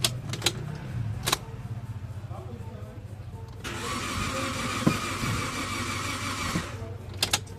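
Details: 2015 Toyota Avanza that won't run, after new spark plugs: steady even cranking but never fires; crank-no-start traced to a dirty camshaft position sensor.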